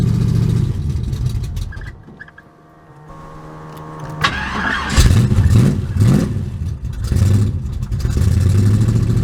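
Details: Carbureted Buick Regal that had been failing to start, started after priming the fuel pump and pumping the throttle while cranking: cranks through a quiet spell, then catches and runs with uneven throttle blips before settling into a steady idle.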